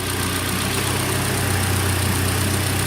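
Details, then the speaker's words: 2013 Hyundai Elantra, AC recharged, engine idling warm with compressor engaged and fan running: steady even idle hum, no knocks or squeals; instant really cold air, hot side hot, cold side cold, system working normally. "Got instant cold air. Instant really cold air. Hot side getting hot, cold side is cold."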